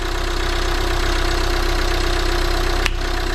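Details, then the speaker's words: Volvo V40 D2 D4162T diesel idling just after repair of a broken cambelt (new cambelt, camshaft, rockers, cam sensor, diesel filter): steady, even diesel clatter, regular firing with no misses, knocks or rattles; normal idle. "sounding awesome. So guys, that was the cambelt, new cam sensor, new diesel filter, new rockers. Sounds like a diesel."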